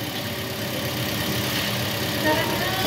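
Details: Toyota Vios checked for alternator bearing noise: smooth, even idle with no chirp, whine or grinding from the alternator end; engine sounds normal.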